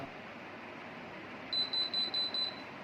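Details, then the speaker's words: BLDC ceiling fan with an aftermarket AC/DC kit, switched on by remote at speed 1: motor won't run, and after a minute the controller gives five quick high beeps over a hiss; blamed on enamel-insulated stator winding wire joints not conducting. "It has become completely silent after giving a three-time beep error. The reason for this is that The copper winding on the stator is made of insulating enamel or wire on the winding copper."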